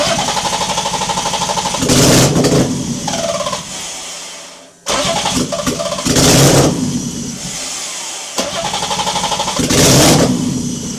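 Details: BMW E30 first start in 6 years after engine installed and ECU rewired: catches and settles, three sharp revs back to steady idle; fires cleanly, normal start and rev.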